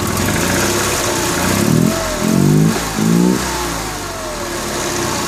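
Small engine idles evenly, then three quick blips rise and fall cleanly with no knocking or misfire; runs healthy.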